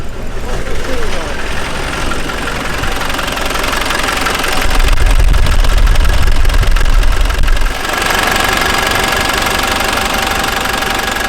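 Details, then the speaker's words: Land Rover Defender overlander diesel after overheating, suspected head gasket failure: steady clatter at idle, briefly rising with a touch of throttle then settling, no misfire, warming toward temperature with a diesel leak present; normal idle. "right so it started first time literally first turn it keep it started"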